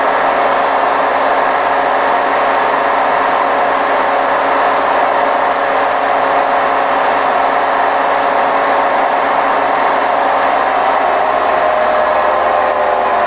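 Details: Hotpoint WMF760 washing machine on its spin program: loud steady rushing roar throughout the high-speed spin, the drone of worn drum bearings; bad bearings suspected.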